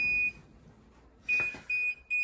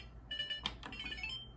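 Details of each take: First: Older Whirlpool Duet dryer after relay replacement and interface board connection fix, shut off after running all day, where F70 once blocked restart: one high beep then three quick beeps; normal power-off, no fault lockout. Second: Older Whirlpool Duet dryer before repair, pressing start: short run of high electronic chirps, the F70 communication error between the interface and main control boards; it sometimes starts, sometimes not.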